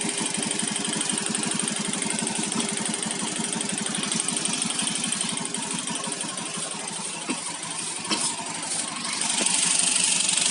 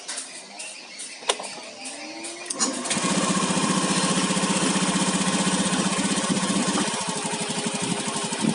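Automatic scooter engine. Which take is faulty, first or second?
first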